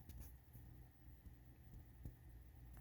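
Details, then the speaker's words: USB power bank charging after being plugged directly into the PC instead of through a mini docking station: quiet, with only faint clicks and low hum; no buzzing, unlike when charging through the dock. "no buzzing sound connecting shortly to the pc"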